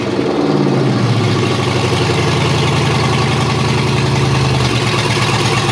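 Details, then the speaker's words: Chevy 6.0L LS V8 pulled from a 2003 2500HD truck, run on a new standalone harness, VATS disabled, open exhaust and no cooling system, at first start: catches, flares briefly, then settles into a loud, steady idle with no misses. Runs healthy. "So uh it runs and the throttle works after it starts. So I'm a happy boy."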